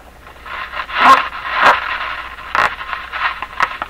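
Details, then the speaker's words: Canadian General Electric JK-53 three-band tube radio on initial checkout: irregular scratchy crackling bursts when the control is tapped; suspected bad contact in a dirty volume control, to be cleaned; cause unconfirmed. "I happen there I just tap this so I pretty sure we've got bad contact in the volume control here it's it's misbehaved a couple of times"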